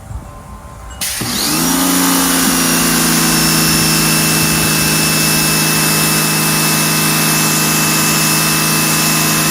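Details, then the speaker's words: Portable electric pressure washer after repair (won't turn on, leaks fixed), trigger pulled: pump motor spins up to steady even whine with constant hum, runs smoothly, winds down cleanly on release; works like a champ. "So, what should happen when I pull the trigger? We should hear the pump motor turn on. And when I release the trigger, the pump motor should turn off. Oh, yes. That works like a champ."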